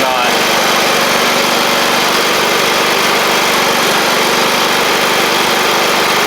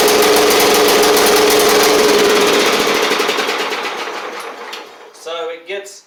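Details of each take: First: John Deere L110 riding mower engine, after fitting a fuel pump to cure flooding, holds a steady, even, buzzy run for ten seconds without stumbling or surging; the fuel pump was the issue. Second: John Deere L110 riding mower engine before repair: fast even putter for a few seconds, then sags and dies as it floods and smokes; owner suspects the carburetor flooding past the needle and seat rather than the recently replaced fuel pump.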